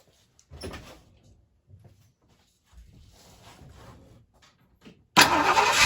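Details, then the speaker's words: 1968 Ford Fairlane/Torino with a 289 V8, started after the exhaust manifold donut gasket was replaced to cure an exhaust leak: brief quiet, then the engine runs evenly with no puffing or ticking at the manifold; exhaust sounds sealed. "nice and quiet again though all right guys well that did it that took care of the problem like i was hoping it would so now it sounds good again"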